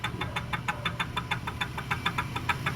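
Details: Honda RS150 engine knocking: sharp evenly spaced metallic knocks, about six a second, over a low rumble; teardown found a damaged connecting rod and scored block and piston.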